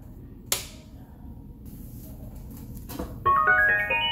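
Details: Amazon Basics active bookshelf speaker switched on after reinstalling its driver: a click, then a clear rising series of bright start-up tones played fairly loud. This is the normal power-on chime.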